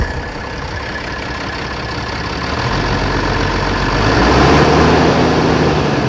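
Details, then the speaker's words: Engine, cold at about 20 degrees: slightly uneven lumpy idle, one cylinder intermittently dropping out, air bubbles from torn fuel pump diaphragm; fuel pump to be replaced. "now the one cylinder is not cut out completely when you rev it up it does have some fuel going to it but it has like like I said little air bubbles going through it and it comes and goes"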